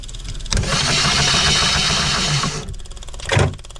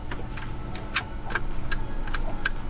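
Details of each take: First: Phasor marine generator during fuel pump testing after priming: two long cranking bursts with a steady buzz and no firing. No fuel came out of the pump while turning over; cranks but won't start. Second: Phasor marine generator during reassembly after fuel pump work: crisp light clicks about every half second over low hum as the fuel shutoff solenoid activates normally; it pushes harder than desired.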